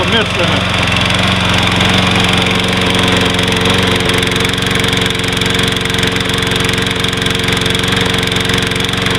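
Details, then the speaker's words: Troy-Bilt 21" mower with 675 Series Briggs & Stratton, hard starting, surging as if fuel-starved, oil overfilled, sat months, before carburetor cleaning: loud single-cylinder at fast idle with uneven, lumpy rhythm, missing and running rough. "Just seem to have a miss in it and just run really [Music] rough."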